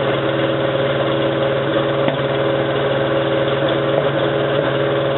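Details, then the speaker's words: 1987 Toyota 4Runner, high-mileage reman engine, cold start first thing in the morning, clutch in, no gas: low, lumpy idle with uneven, shaky pulses, still misfiring after 3 minutes. Cause: cheap head gasket leaked coolant, cracking the aftermarket head and fouling plugs. "So that was running for like 3 minutes and it was still misfiring."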